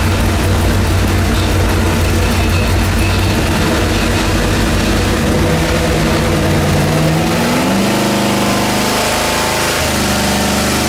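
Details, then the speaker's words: Junkyard LS with two-stage BorgWarner twin turbos on an engine dyno, two cylinders misfiring at about 250 hp, wastegates under investigation: a loud, uneven pull with an occasional deep stumble as load comes on. Finding: misfire under load. "you can also hear misfiring every now and then like at least a deep one when he loads it's like bull"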